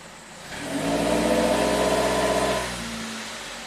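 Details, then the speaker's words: 2008 Suzuki SX4 with low power, idling fine with a third of a tank of fuel: when the throttle is pressed the revs climb, then hang at a low ceiling and drop back; it hits a wall, struggling to get past 2,000 rpm. "it'll get up to 4,000 RPM, but it struggles to get past 2,000 and then it kind of revs up."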